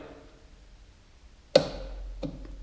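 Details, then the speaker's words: Torque wrench set to 10 N·m with a 13 mm socket, tightening a valve nut: a single crisp click and light tap as the wrench breaks over, showing the set torque is reached; normal operation. "as entendu le petit claque voilà tu vois que ma clé lâche on la voit bien tournerin voilà elle prend un petit jeu on entend le clic c'est que là on a atteint les 10 Newton"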